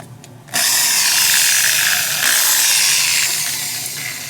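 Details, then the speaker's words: Small drill plugged into a newly installed 1000 W inverter with the OEM Mopar outlet in a 2014 Ram 3500, run as a test: the motor spins up instantly to a steady high whir and holds speed. The outlet supplies power properly. "Alright, so we got a little drill here plugged in just to make sure everything works."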